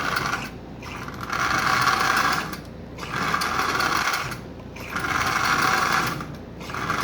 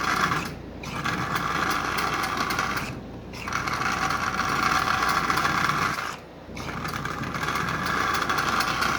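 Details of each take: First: Marx 1666 locomotive, likely unrun for decades, very tight with bone-dry bearings: motor whirs steadily while the clacker's raspy clatter swells and fades about every two seconds; motor runs fine forward and backward, needs lubrication. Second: Marx 1666 toy train locomotive motor, likely not run in decades, running forward and backward with a clacker: buzzy whirring with short stops and a rough, dry edge; motor fine, but bearings bone-dry and need lubrication.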